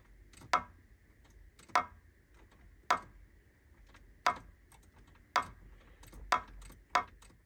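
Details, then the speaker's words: Mk3 Toyota Supra starter clicking but no crank: single sharp clicks about once a second, often when engine hot or battery slightly drained; voltage drop across factory 10-amp starter relay, fix is a higher-rated plug-and-play relay. "are you tired of your starter making clicking sounds when you try to start"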